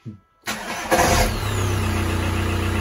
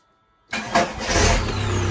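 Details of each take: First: Diesel starting with a new, cheap internet-bought starter: a short, rough crank with a scrape as the starter engages, then a steady idle. The owner feels the starter catches slightly and blames the poor-quality brand; not confirmed. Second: Diesel starting after reassembly with a new, cheap internet-bought starter: a short, brisk crank before the engine catches and settles into a steady clatter. The starter spins quickly and strongly; a normal start.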